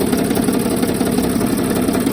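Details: 2007 Mercedes Sprinter OM642 diesel, well-used poorly maintained replacement engine, idling with accessory belt removed; quick even tapping knock over the idle, pronounced on van's left side, cylinders 4–5, no belt noise.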